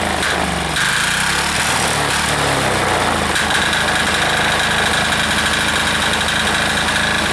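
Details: Air-cooled diesel engine just reassembled, steady even clatter with a constant light tick and no misses; owner says it is running pretty smooth, normal running.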